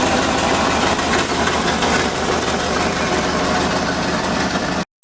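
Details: LS-swapped turbo Miata kart at first start on a new intake pipe, tune not yet sorted: loud, lumpy rough idle with uneven, unsettled firing and no steady rhythm.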